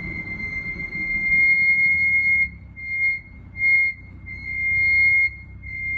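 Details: BMW 440i F36 with M Performance brakes, pads still good with even wear pattern: high steady squeal comes and goes in bursts over low rolling noise; front brake squeal while braking, cause unknown to owner.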